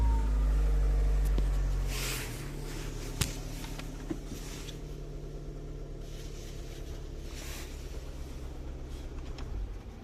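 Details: Renault after fixing steering lock fault DF002 no-start: engine catches and settles into a smooth, even low idle with no misses or knocks; normal idle.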